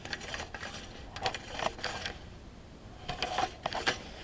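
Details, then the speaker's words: Husqvarna self-propelled mower recoil starter after refitting the pulley teeth into the grooves: quick bursts of light clicking ratchet on each pull, pawls engaging cleanly every time; recoil starter working normally. "fit the teeth back in the grooves and put it back on and I'm getting a few pulls for y'all here"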